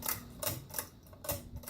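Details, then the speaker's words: 52-inch Emerson Designer ceiling fan on high, temporarily mounted to a 2x3; sharp uneven ticks two or three times a second over steady motor hum as it catches on the light globe, slight shake too; fan catching on light globe. "now it does get caught up on the white globe every fan of this design has that issue i haven't really found a fan that doesn't"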